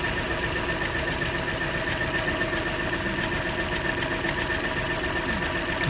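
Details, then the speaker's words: Cold engine idling with a number three cylinder misfire during ignition coil swap tests: rough, uneven idle with irregular stumbles as one cylinder drops out. A faulty coil is suspected. "I think we just need to focus on that number three cylinder misfire"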